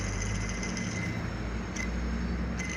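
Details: Honda New Civic at idle: steady rumble with a thin high whine coming and going, from the accessory belt drive; tensioner being removed. Cause suspected, not confirmed.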